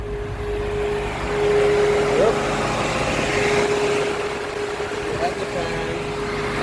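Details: 2017 Chevy Camaro with codes P0480 and P0691 (cooling fan speed circuit), AC on so the electric cooling fan kicks in: steady even hum at one pitch over outdoor noise, no rattle or scrape; the fan draws 11 amps, which is fine.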